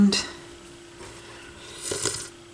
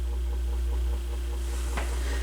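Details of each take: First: AR XA turntable initial evaluation, multimeter continuity check of the tone arm ground wires: a clear high beep in short bursts, then held steady; ground has continuity and the tone arm wires appear okay, at least initially. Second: Rough-condition Goodwill AR XA turntable, first power-up before motor work or spring kit, no ground wire seen: constant low mains-type hum at steady pitch under playback; cause suspected, not confirmed.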